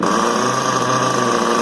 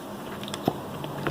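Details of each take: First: XTM X Factor RC with a newly transplanted 24.7 nitro engine, still being tuned, low-speed needle adjusted and possibly not warmed up: high buzz surging and sagging as if starving, then cutting out. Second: XTM X Factor nitro RC car's 24.7 engine, flywheel turned by hand. Crisp pop with firm release shows good compression, better than the loose original engine; sooty because it likely ran rich.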